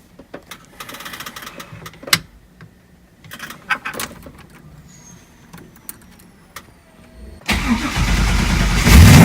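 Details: V8-swapped FB Mazda RX-7, not started in a while, cold start on a newly relocated Odyssey PC1200 Extreme battery behind the passenger seat: several quiet seconds then catches into a loud, deep, steady idle; clean healthy start.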